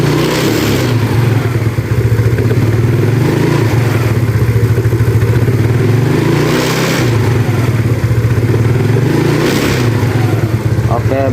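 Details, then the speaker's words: Yamaha Mio carburetted scooter after replacing carb vacuum diaphragm, previously stumbling off idle: steady idle with three quick throttle blips rising cleanly and dropping straight back, no hesitation; clean throttle response. "Sekarang kita coba gas kita coba gas sedikit ya seperti tadi ya bagus ya dia tidak merebet ya"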